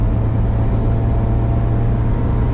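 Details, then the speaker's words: VW Vanagon with Honda K24A4 engine conversion (redline about 6,800 RPM), second gear at about 4,000 RPM on hilly curves: steady, deep, even drone under load, no knocks or misses; healthy engine at high RPM. "still having in second gear running right at about 4,000 RPM now this Engine with the K24 A4 that I have it red lines right at about 6800"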